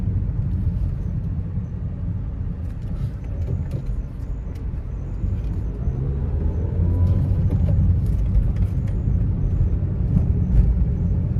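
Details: Nissan Almera manual on test drive after suspension repair for clunking underneath: steady road rumble over the rough stretch with no knocks or clunks from the front end; no suspension clunk.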